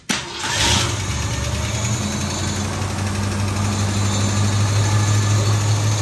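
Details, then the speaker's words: 1964 Ford Fairlane V8 barn find, 30,000 original miles, sat about 13 years, cold, after regapping too-wide breaker points: catches and settles into an even, steady idle with no misfire stumble, firing cleanly on all cylinders. "Sounds better already. Thank you. points were too wide. That's what was causing it. Sounds like it's hitting now. Sounds much better."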